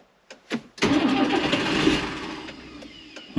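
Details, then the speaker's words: John Deere 3350 tractor diesel after fitting a non-return valve and new hose to the lift pump and priming: cranks and stumbles a couple of seconds before catching and settling to idle; air still in the fuel system. "yep okay and again get a bit of air at the system just gonna send it"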